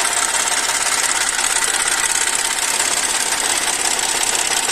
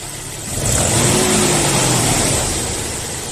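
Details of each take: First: Audi A4 V6 at idle with a fast, uneven ticking knock as the oil pressure warning light flickers; oil starvation because sealant clogged the oil pickup. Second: Audi A4 V6 after repair of an oil pickup clogged by silicone sealant used in place of a gasket; engine revs up cleanly and settles back smoothly with no knocking, oil pressure warning no longer on; normal revving.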